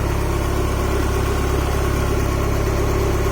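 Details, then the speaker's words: Honda H22A after ARP head studs and intake setup, restarted despite suspected cam seal oil leak: steady, even idle with smooth low rumble, no knocks or misses; sounds nice and healthy, normal idle. "Well, it runs. That's good to know. And it sounded nice and healthy."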